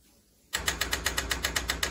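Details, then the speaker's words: DeLonghi Magnifica coffee machine after the water tank is pulled, letting air in: after a short silence, a harsh, loud pump rattle pulsing about eight times a second as the air-locked pump runs dry without pumping water. "say you're you're making a cup of coffee and you remember that the tank is almost empty you pull the tank well that'll let air in the system and and then it won't work"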